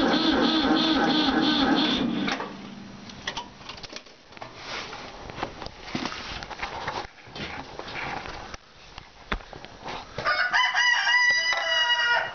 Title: Ford 4000 Select-O-Speed Won't Start